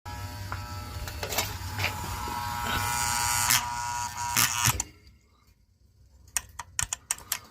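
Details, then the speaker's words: Boiler aquastat control: harsh electrical buzz from the relay inside the aquastat for a few seconds, cutting dead when the relay is pushed in; stuck relay, did not recur after power cycling. "This is interesting. That noise you heard was the relay in this AquaStat."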